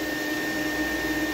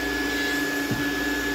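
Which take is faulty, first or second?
first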